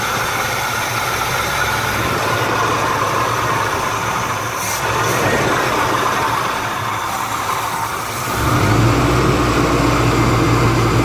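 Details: Chevrolet Malibu Classic, first start in ten years, during electric choke adjustment: steady, even idle beat that settles into a fuller, lower idle with no stumbling or knocks. Normal idle.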